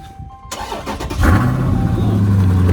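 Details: Copart auction car, apparently a 6.4 Dodge Challenger: catches after a brief crank and settles into a loud, deep, steady roar at idle; the loud startup noise is noted, cause unclear.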